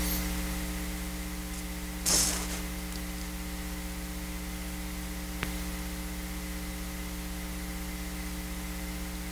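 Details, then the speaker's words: Eurorack Enclave case with a Make Noise powered bus board on its supplied switching power adapter (Volgen KTPS65-1543DT): steady low hum with evenly spaced overtones and thin hiss, power-supply noise, later fixed by switching to a Triad WDU 15-1700 linear supply. "what I'm going to do now is I'm going to plug the modules back in and you'll hear the noise again but then I'm going to switch from the supplied uh switching power adapter to a linear power adapter"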